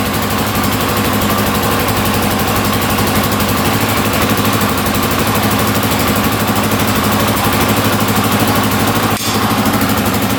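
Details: 1982 Honda XL500R single-cylinder, after carburetor cleaning, a little cold-blooded, throttle slightly adjusted: steady even thumping at settled idle, no misses or knocks; running healthy.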